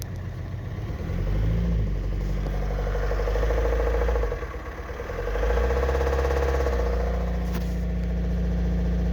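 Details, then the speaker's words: 2006 VW Golf Plus 1.9 TDI, 209,000 km, DPF warning and power loss: revved twice, rough clattering knock under the drone when given throttle; worn hydraulic lifters and scored camshaft. "Вот что причиной, скорее всего, то, что я вижу по звуку- это протёртый, видимо, компенсатор где-то на каком-то цилиндре протирается"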